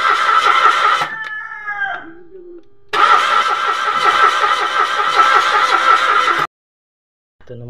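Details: Mitsubishi Mirage automatic, new spark plugs, no fuel coming out at the fuel line: starter cranks in steady quick even bursts but engine never catches; crank, no start.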